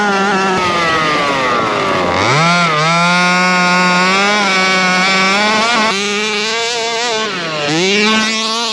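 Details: Rovan Baja 5B RC two-stroke, fresh fuel, carburettor needles back at factory (1 1/4 and 1 1/2) after earlier refusal to start: crisp buzz blips up and settles cleanly, pitch tracking throttle without stumbling; running healthy.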